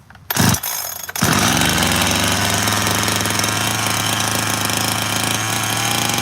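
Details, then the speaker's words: Freshly completed 86-series chainsaw: catches, then holds a fast, even buzzing idle well above a normal tick-over; the high-idle setting was on, fixed by backing the idle all the way off. "Oh, high idle, [ __ ] Hold up. It's going to be a bit of a muck around."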